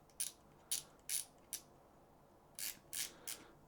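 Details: SoloKing Acura Pro BFS reel (Doviello Acura Pro HICC-50): the brake adjuster knob, turned, gives seven crisp, positive, loud clicks at irregular spacing. It is quite stiff to turn; the detents are normal.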